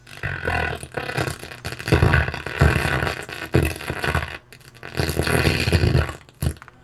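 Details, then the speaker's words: Vintage BGW Model 100 pro audio amplifier, one channel playing music rough and broken up, buzzing and farting on low notes, only partial signal; blown output transistors suspected, one open or shorted, emitter resistor shows heat discoloration. "definitely sounds like blown outputs at least one of those transistors has got to be open"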